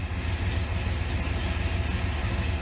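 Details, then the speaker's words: 1970 Pontiac Grand Prix SJ V8, first startup for cam break-in; deep even cold idle, no misses or ticking; coolant temp coming up to 150; normal idle. "Spit gas up a little bit. Fired right up like it's supposed to. Nice idle."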